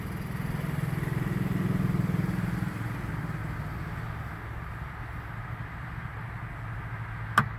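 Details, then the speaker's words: 2003 Sea-Doo GTX 4-TEC jet ski: a single sharp click or little pop from around the front of the engine when the battery is connected; cause unknown, though the engine starts and runs perfectly. "so when i hook up power to it i got my battery in there i get a click as you just heard coming from around the front of the engine i get a click"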